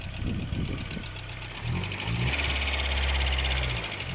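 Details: Opel idling normally after fuel pump live wire burnt out from low voltage; fault traced to electrical wiring after tracker fitted, not the fuel pump, pump bypassed directly to battery. Steady, even idle, smooth low drone, no stumbling or misfire.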